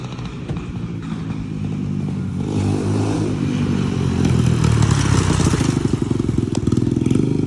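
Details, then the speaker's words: 150cc single-cylinder bike, revs rising steadily as it rides closer, even firing with no knocks or grinding; running normally. "Yes sir. So, yo, it's running good? It's running good? Yeah, buddy."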